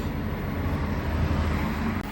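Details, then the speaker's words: Air conditioner, steady low hum, running normally in heat mode right after its 4-way valve power wire was reconnected; before the fix the valve would not switch into heating. "konditsionerimiz shu bilan ishladi. Mana o'zi qizdirishni boshladi."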